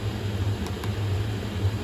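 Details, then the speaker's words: Chinese diesel heater burning a waste oil and diesel mix with gas cut below 10 percent, on H4 out of Alpine mode, reaching 180°C: steady low even roar from burner and fan, the starving-for-air vibration gone; normal running. "he's right as soon as I went under 10 percent that sound is gone that funny sound in the back that like it's starving for her"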